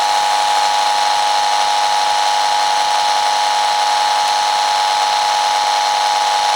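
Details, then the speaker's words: Mains electrical noise with a steady high buzz and fixed whining tones over hiss, recorded close up with a speaker over the microphone while switching an iFi AC iPurifier mains filter on and off, which made little difference. "i'll put this speaker over the microphone now and turn the two units on off so you can hear it close up"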